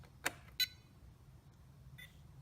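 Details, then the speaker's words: RC transmitter after range booster mod: quiet background with sharp clicks and short high beeps at switch-on; weird new noise of unclear source, function untested; unexplained beeping at power-on. "cool it makes a weird noise now when I turn it on we're gonna have to see if this thing works"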